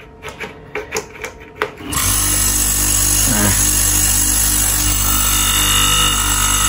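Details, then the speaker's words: Split air-conditioner compressor before oil change: a few taps then loud, steady, harsh hum and hiss; owner suspects compressor low on oil. "Jadi overload-nya itu kadang protect kadang nggak cepet protect gitu terus kadang ada juga si kompresornya ini yang bunyinya kasar"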